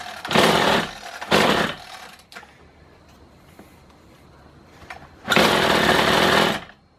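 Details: Kawasaki hedge trimmer, small two-stroke, after new piston rings: it fires and revs up in short, crisp bursts, dropping back cleanly each time and running strong and even.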